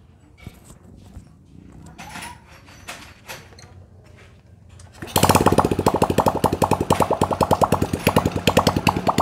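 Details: Supra Fit motorcycle that smoked heavily under throttle, idling after valve stem seal replacement and piston ring re-arrangement, run without exhaust showing no smoke; after quiet clatter it fires and settles into an even, steady popping idle, about three beats a second, no misses.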